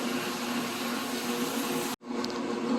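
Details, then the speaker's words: Kenmore Elite washer that wouldn't spin, after lid switch fix; test on spin cycle gives steady smooth drum whirring with water draining underneath, no knocking or scraping; drains and spins normally. "hopefully we'll have have uh what we're looking for with the water draining out and going into a spin cycle"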